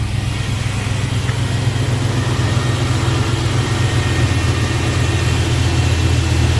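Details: 2003 Chevrolet pickup after installing a cheap fuel pump and sending unit, 50 psi on key cycling, 45 psi running: steady low rumbling idle with a slightly uneven pulse, no misses; pressure too low, new pump believed defective.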